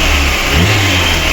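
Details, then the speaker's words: VAZ 2108 1.6 engine after a cylinder head rebuild (new valves, seats recut), warm, fan cycling, carburetor still needing adjustment: an even, steady note through a light rev with no knocking or tapping. Healthy engine, camshaft quiet. "отлічно працює нічого не шумить не поршнева Досить дивно обично 1,6 блоки вони всі тарабанять Ну тут все в порядку Ну і ГБЦ також чтко працює розпридвал не шумить"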